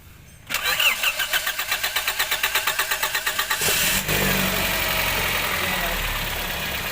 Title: Toyota vios, hard starting, crankshaft sensor problem